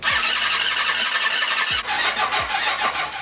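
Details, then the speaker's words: 1980 Honda CB750C engine in half-scale NASCAR kart, fuel pump rewired and retried: short cranking bursts without catching; pump not drawing fuel, electric fuel pump ordered as fix. "I cannot get this fuel pump to work at all so I just went ahead and ordered a electric fuel pump"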